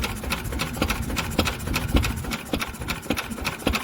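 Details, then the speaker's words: Old single-cylinder Lister engine started from scratch after magneto chain adjustment (chain slightly stretched), fuel pump primed; slow, steady thump about every half second under loose mechanical clatter, firing evenly and running sweetly: normal running. "look at that don't the old girls start noise that is absolutely splendid"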